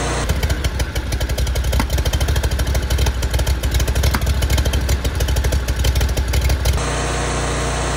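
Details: 2019 Ferris IS3200z zero-turn, 37 hp Briggs & Stratton EFI, about 1500 hours, previously losing power and backfiring at high idle; running after a repair step with the air intake reconnected: strong, even low thumping at steady speed, no stumbles or pops. Normal running.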